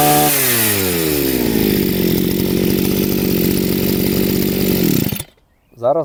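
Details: Chinese two-stroke brush cutter after carburetor adjustment: screams at full throttle with steady, even note before cut off; runs smoothly.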